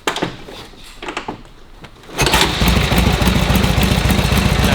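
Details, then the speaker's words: Vintage motorcycle, warm, restarts without choke or priming with timing and points set correctly: a few seconds of quiet, then it catches at once into an even, steady beat; normal warm start. "just go once we got a little bit of heat in them we don't need choke don't need priming we just go that's when the timing is Right points are right everything's set up so that they will sit there and do that all day"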